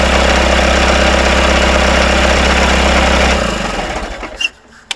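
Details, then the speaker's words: Rebuilt Isuzu 4BD1T diesel in Hitachi EX120-2 excavator, first start, idling with intake off: dense steady rattle over low drone from bolts at the engine's rear coming loose. "I hear some rattling coming from the back I think the uh these bolts are coming loose let me tighten these up"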